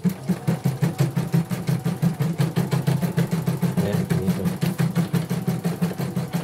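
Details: Portable embroidery machine shipped from Sekayu, South Sumatra with complaints of no embroidering, blank screen, hoop not positioning and dead touchscreen; run after mainboard work, presser foot lowered, sped up, one colour: steady low thumping about three beats a second, no knocks or grinding; all sounds normal.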